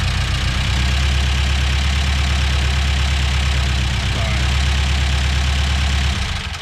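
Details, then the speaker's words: Engine runs loud with a heavy low drone and rough, uneven pulse; the intake manifold was found loose, and its hold-down bolts spun and broke off when tightened, so the manifold must come off to extract them. "the engine's making a lot of noise we uh discovered we had a setback that engine has the uh i noticed that the manifold was loose the intake"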